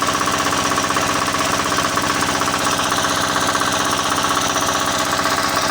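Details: Single-cylinder diesel that wouldn't start, after refitting injector pump and nozzle and bleeding fuel: steady, even clatter at constant idle, firm regular firing, no misses or knocks; running healthy.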